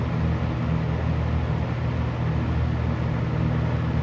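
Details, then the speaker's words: Galaxy 6708 fan with shaft end play needing thrust washers, second test run with wiring temporarily rerouted: smooth, even low hum and air rush with no ticks, rubbing or wobble; runs really nicely, sounds like a fan. "it runs really nicely like now it sounds like a fan turn it off"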